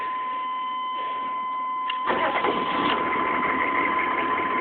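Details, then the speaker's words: 1995 6.5 diesel with random timing loss, owner suspects faulty crank sensor or optical sensor; after unplugging the crank sensor, failed start, replugging and restarting, engine settles into a loud, uneven, lumpy clatter; rough running, cause unconfirmed. "yeah see now much louder"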